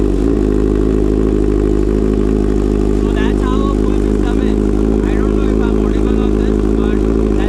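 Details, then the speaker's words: Kawasaki Z900 with Leo Vince full exhaust system and BMC air filter, idling in neutral to warm up just after the filter was cleaned; loud, steady, even idle with deep exhaust burble, no knocks or misses: normal idle. "So we have just cleaned the filter, so it needs to idle for a certain amount of time. It's in neutral, and you all can hear the exhaust note now."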